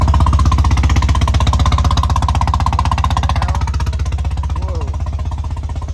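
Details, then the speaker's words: Car with a blown-out spark plug, exhaust opened up: heavy, lumpy pulsing about four beats a second, loud and uneven; severe misfire with the car shaking and engine power reduced. "Like, look how bad it is if I open up the exhaust. Like, you can hear that. That is really bad. That is really bad."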